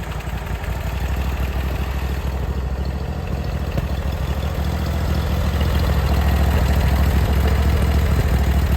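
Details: Briggs & Stratton Vanguard V-twin on a Vermeer SC362 stump cutter, idling after bent push rod replacement and valve lash adjustment; low steady idle, about three even pulses a second, no skips, much smoother than before with minimal vibration.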